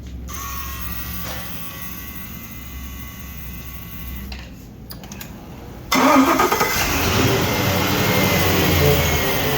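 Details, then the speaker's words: 5.7 engine after a no-start fixed by repairing a wire with butt connectors to restore the 5-volt reference; brief crank, fires at once and settles into a strong even run, cold, with good oil pressure. "Alright, so repaired the wire with some butt connectors. Got 5-volt reference. Engine's running."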